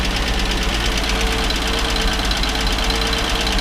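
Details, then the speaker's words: 1961 Ford Falcon 144 cu in inline six, three-on-the-tree manual, abandoned 20+ years, warm with thermostat open, after exhaust manifold gasket and valve stem seals: smooth, even idle with light top-end valve clatter, no exhaust leak puffing; normal idle. "it's a little clattery right now I might check the valves again mind you it just sounds like an old to me it sounds like a inline six which is what it's supposed to sound like"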